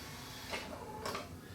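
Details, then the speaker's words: Yamaha CDC-S90 CD changer in a RX-S70 mini system, tested after repairing a slipping belt: a couple of short mechanical clicks as the tray shifts to disc two and it plays; changer now works normally. "sounds like it's playing to me I would say that this one's fixed"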